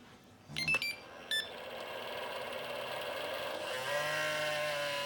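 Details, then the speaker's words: Traxxas EZ Peak charger fan, noisy since purchase: a couple of beeps, then the small fan spins up with a gritty, raspy whir and wavering whine; dry fan bearing, fixed on the single charger. "The Traxxas EZ Peak Dual charger and the single charger, both, since I bought them, have super noisy fans."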